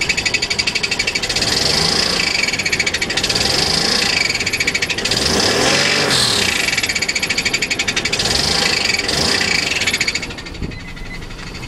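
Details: Acura 3.5 RL: sharp, rapid metallic ticking that quickens and swells with light revs, seemingly from the rear of the engine. It has worsened over time; owner suspects a spun rod bearing, unconfirmed.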